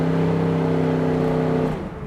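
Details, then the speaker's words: 1969 Chevrolet Camaro V8, true miles unknown, on road test up to about 60 mph: strong, steady pull with clean even tone under throttle and smooth lift-off; throttle responds right away, strong motor, firm crisp shifts. "the throttle in the car responds right away. Good pickup, real strong motor."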